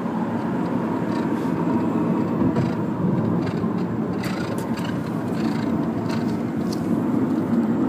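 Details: Mitsubishi Lancer EX while driving: irregular light rattles pop through the steady road roar, an abnormal noise from the suspension, pointing to something loose in the suspension or underbody.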